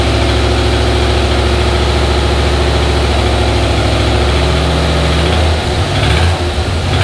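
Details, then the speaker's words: Junkyard 5.3 LS V8 in turbo S-10, first startup after rebuild replacing bent gen 4 rod (tick blamed on piston hitting crank); no antifreeze, short run. Steady deep idle, even beat, no rod knock; some lifter noise while oil pressure builds. "so far it sounds okay i hear some lifter noise but then of course maybe it's taking a little bit time for the oil pressure to get up there"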